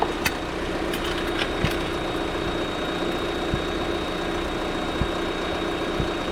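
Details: 2023 Lada Vesta NG automatic, car jacked up, checked from below for exhaust camshaft knock while warming: quiet, even idle with a few faint isolated clicks and no rhythmic cam knock; diagnosis found it healthy, normal idle.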